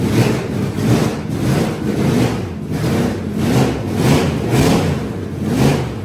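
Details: Carbureted V8 burnout truck being rebuilt for a competition, with timing possibly still slightly off. It surges and sags about twice a second, stumbling and barely staying lit. The owners find the carburetor fuel delivery faulty, with the front not spraying fuel.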